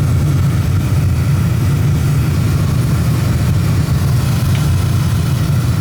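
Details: Oil burner gives a steady even low roar, no puffing or rumble; firing smoothly. Draw assembly is suspected set too far in.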